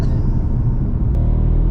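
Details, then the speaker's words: Alfa Romeo MiTo Cloverleaf on road in Dynamic mode, engine light flashing: heavy, lumpy low rumble with uneven beat, running on three cylinders; suspected coil pack or spark fault, worst case MultiAir unit. "namic and the engine light is now flashing yeah that means we can't really pop out so looks like we can't mean oh it's trying it wants to so that could it's either going to be a coil pack or something with a spark worst case scenario what alha Romeos yeah worst case scenario what's it going to be multi- a unit multi a"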